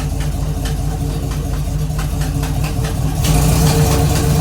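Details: 1969 Camaro V8 that sat 36 years, freshly revived, idling in drive with a deep rumble and a light steady tick: a bad exhaust leak at the header, as the new gasket's top appears torn.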